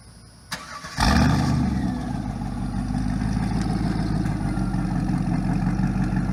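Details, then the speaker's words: 1999 Pontiac Trans Am LS1 V8, automatic, after fuel pump and fuel filter replacement; starter whirr, then engine catches and settles into deep, steady, even idle with no misses or knocks; normal start and idle. "yeah it sounds good it's super fun to drive I hate to see it go but it's time"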